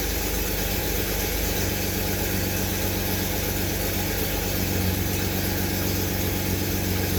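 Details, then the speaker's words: 1991 BMW 750iL E32 that sat a long time with a large gas leak, still burning old gas after first start; steady low idle with uneven lumpy pulse, running rough; maintenance and spark plug history unknown. "she's running a little rough I definitely need to check the fluids over"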